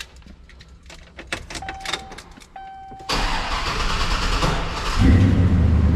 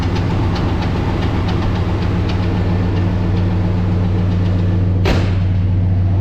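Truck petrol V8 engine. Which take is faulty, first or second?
second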